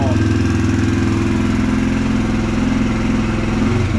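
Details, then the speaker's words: 2022 Yamaha TTR-125 air-cooled four-stroke right after installing a Tusk cold start jet kit, first start without choke, choke then disengaged: steady even single-cylinder thump at idle, no stumbling or hunting; idles perfectly. "I'd say it works pretty good. I'm actually pretty impressed. I do believe first start, it started right up. Idling perfect."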